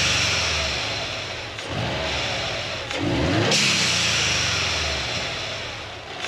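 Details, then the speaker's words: 2008 Subaru Legacy GT with newly installed GFB Respons hybrid blow-off valve: revs and lets off with very loud sharp pops and crackles on overrun, louder than owner likes. "Okay, so I don't know if you guys heard that, but there were some really, really, really loud pops. I mean, at least to me, they're super loud."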